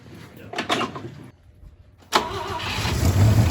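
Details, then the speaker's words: Volvo 164 with a B30 engine, not run since 1994, restarted cold after a cooling system flush, oil change, new distributor cap and wires. No water pump or alternator is connected. It cranks briefly, starts right up and idles evenly. "bro it started right up it started right up ah that's great"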